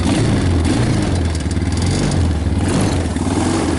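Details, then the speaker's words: 2000 Honda Recon 250 ATV, unstarted for months since summer, with an aftermarket carburetor replacing the OEM one and a new battery, throttle fluttered while cranking. The single cylinder catches at once into a steady low thump with throttle blips: normal cold start. "So this thing hasn't been started in months, and yeah, she fired right up. You gotta love a Honda."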